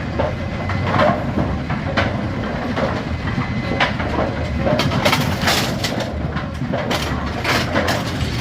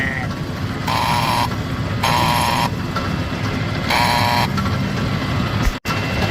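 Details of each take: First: Brunswick A2 bowling pinsetter cycling normally after cycle solenoid replacement (complaint: not cycling on first ball); ball detect beam tripped by hand, machine sweeps and resets with even rattling clanks and thumps, then waits on pins. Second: Brunswick A2 pinsetter, recently replaced cycle solenoid, machine not cycling on first ball: tripping ball detect gives repeated half-second rough buzzing hums as the plunger moves; solenoid sounds bad, coil to be metered.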